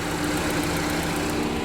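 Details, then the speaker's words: 2015 GMC Terrain after oil pressure sensor replacement: steady even idle, smooth hum, no ticking, knocking or stumbling; engine running fine. "I don't know how to change something out, but everything is running fine. Sounds good."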